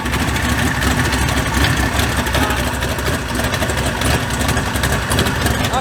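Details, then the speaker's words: Mud bog truck started after sitting since January. Uneven, lumpy idle with a stumbling beat under the rumble as cylinders misfire on fouled spark plugs that need replacing. "Spark plugs are fouled out. Like I said, it needs new ones."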